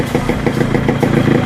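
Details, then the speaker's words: Restored Yamaha RX100 two-stroke idling after electrical work, with an altered silencer core for more beat; it still needs a 3–5 hour run-in. Crisp, even popping at about seven beats a second, no misses or rattles. Healthy idle. "Silencer கோரை வந்து நம்ம இப்போ alter பண்ணி போட்டிருக்கோம். அதனால் இந்த அளவுக்கு beat வருது."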